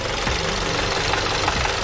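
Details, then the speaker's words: VW GTI with codes P000B, P0017, P0341 and P2336, warmed up at idle where the noise gets worse when hot: rapid, sharp metallic ticking that stops when a cam adjuster solenoid is unplugged. The oil pump was already replaced; low oil pressure is suspected. "you can hear thee and you can feel it in there too and I unplug them from the noise goes away"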